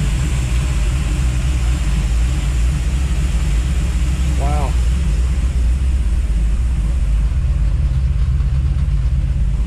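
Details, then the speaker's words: 1955 Chevy with cast roller cam, after removing the mechanical fuel pump whose rod was clacking: steady, smooth, quiet rumble with no ticking or clacking; idle still a little high and needs tuning; normal idle. "mystery solved thank goodness i can't believe how smooth and quiet that engine was after pulling that out of there"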